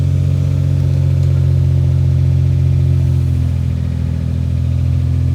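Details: SC300 drift car, idling after a slipping-clutch replacement, sounding good now: a deep, even engine hum with a steady firing beat and no knock or stumble; it is running smoothly.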